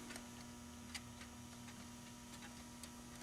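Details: Rock-Ola 424 jukebox switched to scan: light, uneven mechanical ticks, only two or three a second, as the selector creeps round far slower than it should; a bent part with a missing piece is found causing the faults.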